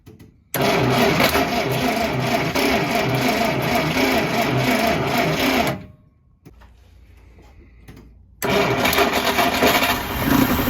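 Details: 1953 Kaiser Dragon Super Six after sitting about 30 years, with starting fluid sprayed in and possibly no gas in the tank: even starter churning about four turns per second. The engine never catches; it cranks but won't start.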